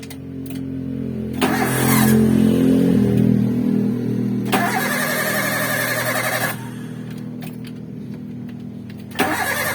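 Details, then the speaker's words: Engine start after the corroded radiator water outlet was sanded and painted with epoxy primer and black paint. The starter catches quickly, revs briefly, then settles to an even idle with no misses or knocks. "Jadi itu sobat, kita coba untuk start ya sobat ya, sebentar sobat rekan-rekan, kita coba hidupkan ya."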